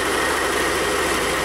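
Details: Replacement 2021 Yamaha XMax 125 Blue Core engine, fitted after the original broke down at 11,000 km: smooth, even idle hum with a steady beat and no knocks, ticks or surging; running healthy.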